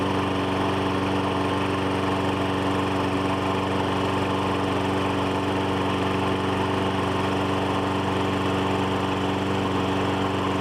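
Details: Troy-Bilt mower with 2012 Briggs & Stratton 550EX single-cylinder engine, run before tune-up oil drain: steady, even smooth drone with no knocks or misses; normal idle.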